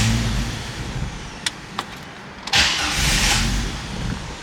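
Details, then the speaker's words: 1998 Jeep Wrangler 4.0L inline-six that sputtered and died at a stoplight: a few clicks, then catches with a burst and quickly fades instead of idling; starts then stalls, suspected lack of spark or fuel, compression likely fine. "So now it's a crank no start. So we're going to diagnose this thing, figure out what we're missing, and take care of it for him. So it starts and dies now."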